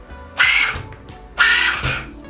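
Two short throttle stabs, each a brief high whine of the slipper letting go before grabbing; slip amount sounds about right.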